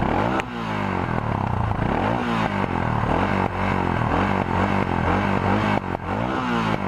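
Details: Suzuki DR650 single with new 24F0A exhaust, Procycle headpipe, Procycle jet kit and airbox mods: steady thumping through the pipe, a few throttle blips rising and falling cleanly, no rattles or misses; normal exhaust note.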